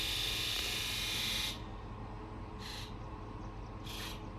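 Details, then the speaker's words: Ford F550 7.3L Powerstroke diesel with newly installed injectors and glow plugs: injector buzz test, crisp high-pitched electric buzz, one long burst then two short ones, even and clean; all injectors sound good. "I don't know if you guys could hear that but they all sounded really really good"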